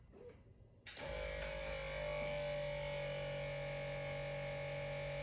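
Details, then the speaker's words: Tesla Model S after replacing the air suspension compressor with an OEM unit, lifting from low mode after reaching 5.9–6 bar: a steady, even, quiet motor hum with no rattle. The compressor works normally. "hear that? Nice and quiet. It does seem like it's taking a minute. So I guess it's building up that pressure right now. And now it's lifting."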